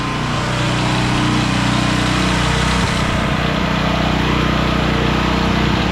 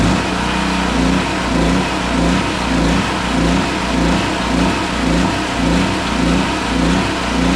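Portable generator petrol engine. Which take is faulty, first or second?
second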